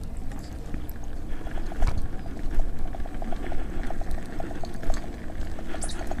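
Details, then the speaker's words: Nikola electric unicycle climbing a steep hill with the wheel at 40 degrees, 90 amp alarm setting: short mid-pitched alarm beeps repeat steadily over wind and road noise, overcurrent alarm under hard climb; wheel later burned up with blown MOSFETs. "listen for the amp alarms and now I'll read off the temperature"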